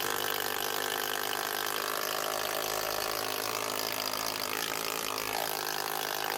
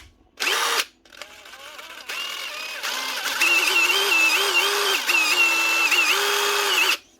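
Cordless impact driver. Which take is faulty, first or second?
second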